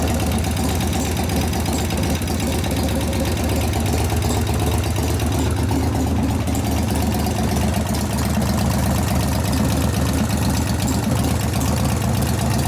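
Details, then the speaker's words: 1988 Harley FXR V-twin idling as it heats up: a loose, uneven tapping over the beat grows louder. It is traced near the rear lifters, where a rear hydraulic lifter is knocking. Hydraulic lifter knock. "didn't know it could be louder right now I can hear the knock"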